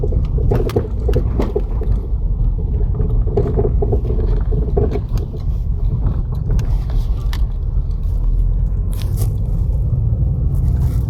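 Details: 2008 Opel Astra H, Z16XER engine: dull irregular front-left suspension knocks over road rumble on bumps ("potatoes in a bucket"), caused by shock absorber rod play after the seized rod nut was spun with an impact gun during strut bearing replacement.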